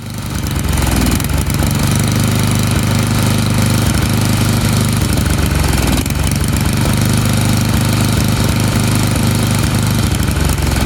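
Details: Tecumseh snowblower small single-cylinder engine, carburetor adjustment threaded out after leaning to stall; loud uneven lumpy chug settling toward a steadier beat as the rich mixture is tuned toward the sweet spot; rich mixture causing chugging.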